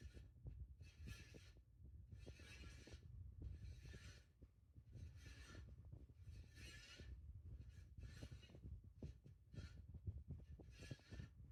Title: Hunter Fan Making Noise